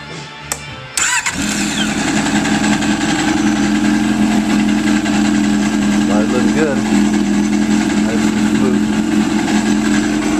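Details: 2003 Yamaha RX-1 1000cc four-stroke snowmobile after carburetor cleaning for missing and flooding, air box refitted: short crank, then catches into a steady, even run at constant pitch under music; starts and runs normally.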